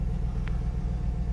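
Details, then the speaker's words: Salvage 2006 GMC Yukon Denali started on a jumper box: deep, steady V8 idle rumble with an even beat, no knocks, ticks, misses or quivering; running smoothly. "yes she seems to be running pretty good she's a little dirty no abnormal noises you can see she's not really quivering running nice and smooth as to what you want to hear"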